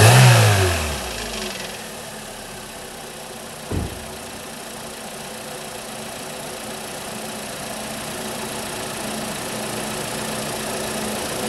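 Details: Holden/Chevy Cruze 1.8 F18D4 after a head gasket replacement for coolant in the oil, a pressurised cooling system and a misfire. It is warming up below operating temperature and settles into a steady, even, slightly fast idle with a smooth low hum and no knocks or misses.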